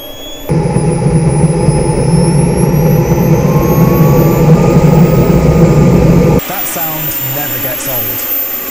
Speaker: Okay, it's gone into cooling mode. That's brilliant. And everything looks nominal.